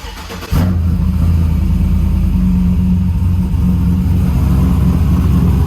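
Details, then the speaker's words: Trailblazer SS with long tube headers and full 3-inch exhaust catches instantly and settles into a loud, deep, steady V8 burble with no misfire; still runs and sounds good, not yet driven. "Still runs good, still sounds good. got full 3-inch exhaust on it."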